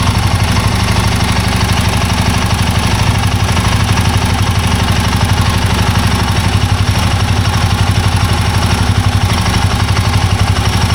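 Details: Royal Enfield Himalayan 450 Sherpa single-cylinder engine idling: a light, fast metallic rattle over the steady thump. Timing chain noise suspected, not confirmed. Light top-end rattle at idle.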